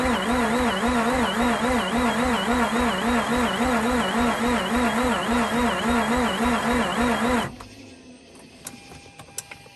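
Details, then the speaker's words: Mazda RX8 rotary, cranking after fixing a fuel leak: steady cranking at about 3.5 pulses a second with a wavering whistle and scratchy rotary sound, but it never fires. Owner suspects pulleys, possibly a bearing. "i'm hearing this whistle which is one and i'm hearing this rotary type of scratchy sound which can be just the pulleys and stuff rotating hopefully nothing worse it almost sounds like a bearing"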